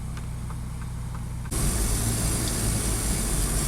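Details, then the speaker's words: 2006 Saab 9-3 2.0t radio inside car: hiss comes up over low engine drone and stays as radio turns on to static only, later fading back to music; intermittent radio static, cause unknown. "still static so the static started fading and now i can hear music again it is a bizarre situation"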